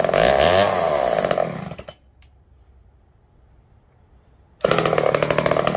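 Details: Poulan 306A chainsaw revived, filters cleaned and still slightly wet, fuel added: loud buzzy two-stroke rasp at high revs, drops to near silence, then snaps back to full speed; running healthy.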